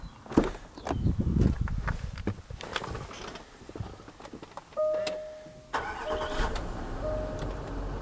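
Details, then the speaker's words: 4.4 TDV8 diesel started after an oil change using an extraction pump: handling clatter, a brief crank, a quick catch, then an even, steady idle that sounds smooth. Normal start and idle. "sounds lovely and smooth as always"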